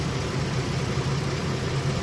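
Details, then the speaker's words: 2012 Mazda 6s 3.7 Duratec V6, warm after half an hour of running and bleeding the coolant, idling smoothly with no ticks or knocks following water pump and full timing chain service; the earlier grinding was air in the power steering. "yeah she seems to be purring pretty nicely revved it up a bunch of times everything sounds good"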